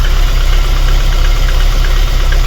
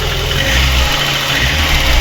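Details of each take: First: VAZ 21099 engine at idle, lumpy uneven beat, misfiring; compression lost in cylinder four, head repaired (valve seats replaced) some 20,000–25,000 km earlier, not overheating; head to be removed and inspected. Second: VAZ-21099 after cylinder head repair for lost compression in cylinder four, valves set to 0.40 mm exhaust and 0.25 mm intake; steady, even idle with a smooth low beat and no missing, all cylinders firing properly.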